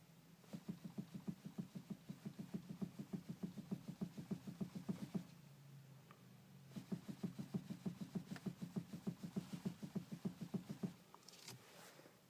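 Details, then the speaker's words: 2012 Ford Focus 3 PowerShift, about 21,900 km: quick, even knocks about three per second while turning the steering wheel with engine off (no power assist), stopping when turning pauses; owner suspects the steering rack. "Ford Focus 3 Power Shift 22.000 почти пробег имеем стук при повороте руля двигатель заглушен усилитель соответственно не"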